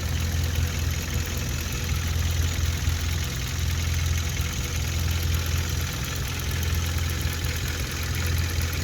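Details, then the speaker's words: 2016 Hyundai Veloster GDI turbo with DCT, fully warmed up, idling during a CRC GDI intake-valve and turbo top-end cleaning: a low, steady idle hum with the usual light GDI injector ticking; engine sounds normal. "right idle seems pretty good"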